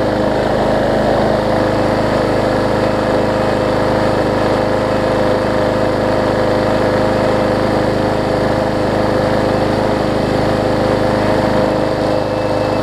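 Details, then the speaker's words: Yard Man push mower after a major service with the primer bulb replaced and priming working: the small single-cylinder engine holds a steady, even buzz at constant speed with no misses or surging; normal running. "so that's all we need is for it to prime right there i put the primer bulb in it and they crank it up for us"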